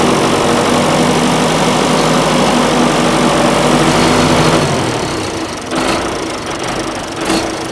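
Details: John Deere 450C track loader pulled from the woods; the diesel chugs at a steady, even beat of about four pulses a second, then settles quieter, running normally.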